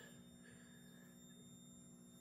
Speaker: So, I've covered the four modules in two layers of sound insulation and I still have this problem. So, if you have any idea on how I can fix it, let me know in the comments below. That squeaking is from the PWM modules that attach